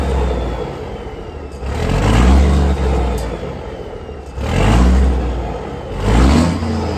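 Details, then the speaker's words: Peterbilt 362 cabover diesel after sitting four weeks, cold start after battery charge and 10 gallons fresh fuel, no longer smoking: deep even idle between three throttle blips, no misfire; normal idle. "But I think runs smoother and a little bit more quiet. I mean quiet, I can hear the valves that much."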